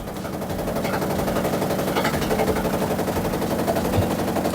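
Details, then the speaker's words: Samsung top-load washer on a spin-only cycle: rapid heavy banging, roughly four knocks a second. The technician suspects a broken drum hub rather than the dampers or spring suspension. "You can hear the noise. I'm suspecting actually drum hub in a drum hub broken. I think that's why it's making uh loud noise."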